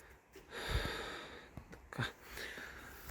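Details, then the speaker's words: Isuzu Turquoise bus with front-mounted engine, body rocking up and down: irregular scratchy creaks heard under the first right-side seats, bare metal rubbing where a body-to-chassis mount rubber is missing. "When we drive it, when it moves up and down we hear a really annoying scratchy noise."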